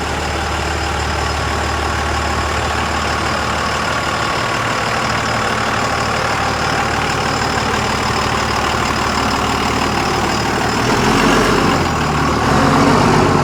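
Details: 2001 Cummins dually (~240k miles), rebuilt on a 56 block after cracked 53 block, fresh rings/bearings, 50hp VCO injectors; post-rebuild idle: steady even diesel clatter, slight rise near end, no knocks or misses; healthy.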